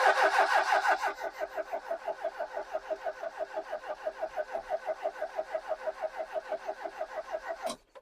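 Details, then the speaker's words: Ex-British army Bedford CF2 Ferguson 4x4, 7000 miles, parked for years, freezing cold day: starter cranks steadily at about three turns a second with even compression pulses, never catching; ignition lights on but no fuel coming through. "We've got ignition lights. How have we got turny overage? Oh, we have. We haven't got any fuel. Nothing's coming out of there, is it?"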